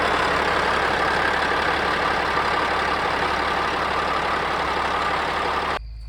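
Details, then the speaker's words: Caterpillar diesel rebuilt with used liners, pistons and rings, fully warmed and broken in after 2–3 hours hauling. A steady, even, deep idle with no misses or knocks until shutdown; only slight visible blowby, healthy engine. "So, just a tiny little bit of visible blowby there, but I'm more than happy with it. It's been running like a top. Hadn't missed a beat."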